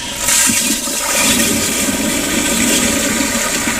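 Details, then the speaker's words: Sloan sensor-operated flushometer with EBV-375-A pressure cap gauge, pressure lingering around 20 psi during flush then rising to static at shutoff: sharp rush of water opening, settling into steady hiss; normal flush. "now we rise at the shutoff and then once it shuts off completely the static pressure builds back up in the valve and it registers what the static pressure is in the facility"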